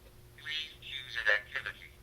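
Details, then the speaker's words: 1980s Sears Talking Computron kids' toy, previously silent, now making sound after some repair. Buzzy, garbled, narrow telephone-like synthetic voice. Speech synthesizer output badly distorted. "Man, that just does not sound good."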